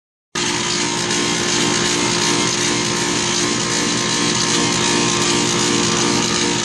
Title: sounds like bad compressor 20130628_094602.mp4